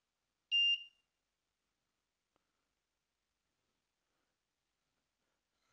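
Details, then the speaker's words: Arduino water leak detector with leak ropes: shower leak rope unplugged puts it into fault mode, giving one short shrill beep, the audible alarm. "the shower one will go to fault mode you can hear the actual device going straight into the audible alarm"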